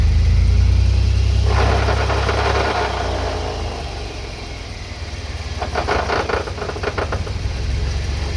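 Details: Truck with shaved GM 14-bolt rear axle, transfer case rebuilt and driveshaft rebalanced: two gritty grinding bursts, about four pulses a second, as the driveline takes up drive on light throttle over a low rumble; owner suspects the axle, not confirmed.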